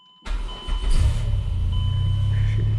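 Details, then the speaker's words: 2008 Chrysler Pacifica after no-crank no-start fix (broken ignition switch actuator, new starter already fitted): brief crank, catches within half a second and settles to smooth steady idle; no check engine lights. "starts right up yeah no check engine lights believe it or not"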